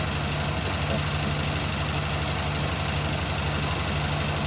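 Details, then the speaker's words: 2001 Toyota Camry after fitting a pod filter air intake: a low idle with a slightly uneven, lumpy beat and no clear knock. The owner suspects the throttle body, a possible leak at the intake clamps, and notes it is running rich. Rough idle, cause unconfirmed. "yeah, now we got that idle issue. It doesn't idle [Music] properly. can be really hard to notice, but like it just like almost sounds like um one of those cars that are really thirsty for fuel and she's like um something to do with the throttle body."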